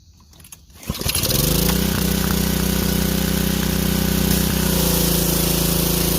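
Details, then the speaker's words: Power Stroke 150cc pressure washer engine that sat with bad gas, after carburetor cleaning: catches on the first pull and settles into an even steady drone with no misses or surging; runs normally. "so it fired up right on the first coal that's what we needed was the carburetor cleaned"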